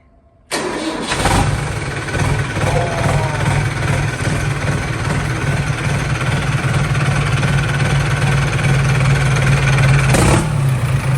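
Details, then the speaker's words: Old tractor diesel newly fitted with a large turbo, started and revved hard: rough heavy roar with thin metallic pings in the exhaust; exhaust leaks noted, cause of pinging unclear. "turbo don't like that something there's definitely all kinds of pinging noises in the exhaust that voice sounds bad though"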